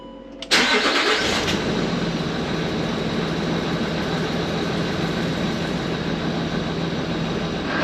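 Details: Land Rover Discovery 3/4 2.7L TDV6 diesel (chassis from 7A000001), first start after fuel filter change and priming cycles: brief crank, catches at once, settles to steady even idle, no misses or knocks; no fuel or oil leaks; normal idle.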